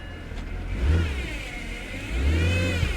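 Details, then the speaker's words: Salvage-auction automatic car put in drive: two throttle blips with engine revving freely, car won't move with e-brake off though reverse works; suspected slipping transmission, possibly low fluid, with a whine possibly from transmission. "it doesn't want to move yeah she doesn't want to move in the ebrake is not on trainee feels a week yeah it could be that the transmission is low on fluid"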